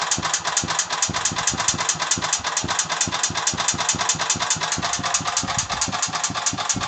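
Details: Agros walk-behind tractor (motoblok) single-cylinder engine running at steady speed with a sharp, regular mechanical knock about twice a second; the owner does not know the cause of the engine knock.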